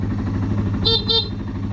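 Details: Yamaha XT225 at a lumpy single-cylinder idle after an oil change: two short, clear honks of a steady mid-pitched horn; the horn sounds strong and works fine.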